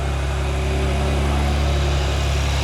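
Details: BMW G87 M2 after xDrive all-wheel-drive conversion, first run once engine and transmission are refitted, oil primed and fluids filled: deep, steady rumble, even throughout, no misses or rattles; engine running strong and healthy.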